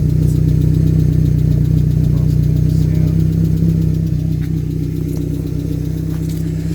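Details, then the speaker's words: 1995 Suzuki Sierra/Samurai with a G13B GTI engine conversion at steady idle: a light, fast tick of about four per second over the engine. The owner suspects noisy lifters and hopes an oil additive quiets them. "Yeah, so hopefully that sound of the lifters stops."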